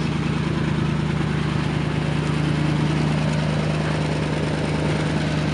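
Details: 1977 Lincoln Town Car, big 460 V8, running on high idle after many years in storage: low steady rumble with faint rhythmic puffing from an exhaust leak.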